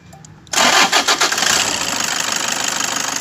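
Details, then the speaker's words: Toyota Innova V model diesel with A/C compressor noise, started with drive belt removed: fires after brief crank and idles evenly, noise gone; A/C compressor bearing found seized/noisy, to be replaced, water pump, tensioner and idler okay. "तो guys अभी noise नहीं आ रहा है, इसमें AC compressor का wiring गया हुआ है,"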